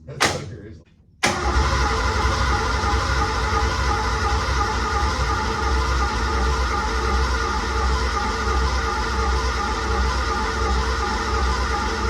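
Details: 1986 Ford F150 cranking with the fuel pump temporarily wired outside the tank: the starter churns steadily for ten seconds with no firing. Timing is suspected far off and there is no fuel smell yet; it needs a new solenoid.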